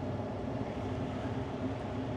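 A steady rough hum with a dry, gritty growl under it and no change in speed: the fan motor bearings are worn and failing.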